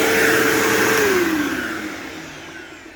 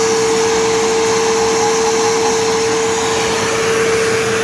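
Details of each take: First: New-old-stock 2007 Bissell PowerForce 3525-2 upright vacuum: steady high motor whine with even air rush, pitch dropping as it winds down; sounds like the owner's 3522, running normally. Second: New-old-stock 2007 Bissell PowerForce 3525-2 upright vacuum, boxed 17 years, first run: steady motor whine, then a regular scraping tick about four per second as it spins down; owner suspects the brush roll warped in storage.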